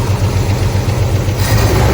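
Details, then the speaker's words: Ford 300 inline six in a 1981 Ford F100, before rebuild, started about once a year: at idle a quick regular tapping, about eight per second, from a rocker whose press-fit pedestal mount pulled out; engine still runs. "because those press-fit pedestal mounts would always pull out, and I was just constantly fighting that problem in the past. But you know what? It would always run."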